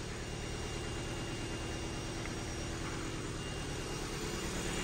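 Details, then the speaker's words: Ford Fiesta salvage car with suspected flood damage, idling: even, steady idle with smooth low hum, no stumbles or knocks, despite stored misfire codes on cylinders 1 and 2; owner unsure if plugs or leads. Normal idle. "but it's actually ticking over and running quite nice so I don't know if it's something to do with the plugs or the leads"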